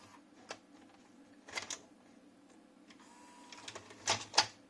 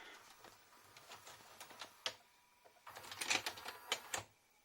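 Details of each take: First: JVC HR-S9500MS VHS recorder, heads just cleaned, loading a cassette: scattered clicks and clunks, then a thin motor whir straining for seconds as the tape is slowly pulled in. Loading struggles, and a tired loading belt is suspected. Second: JVC HR-S9500MS S-VHS Dynamic Drum VCR, after the bent eject lever was bent back into shape: light mechanical clicks and a quick whirring run of the tape deck, then a clean eject clunk with no hesitation; eject now works properly.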